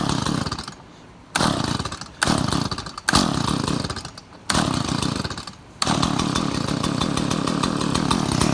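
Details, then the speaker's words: Stihl MS170 chainsaw after installing new aftermarket carburetor, fresh gas and new spark plug: short rev bursts with gaps, then steady even buzz; runs properly. "She ought to run like a brand new one. New carburetor, it's got new gas in it, new spark plug."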